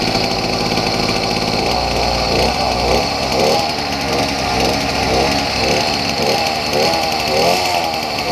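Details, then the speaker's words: Two-stroke engine on a beach cruiser motorized bike, first run just after fitting the throttle, CDI and kill switch. Raspy buzz swells and eases with throttle. Normal engine running. "Well, I got it on. I got it running."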